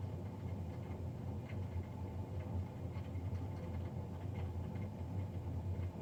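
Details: Navien NCB-240 boiler recorded Feb 3, 2020, three days after a Jan 31 service: steady low droning roar with no rhythm or pitch change; combustion fan much louder than a boiler fan should run.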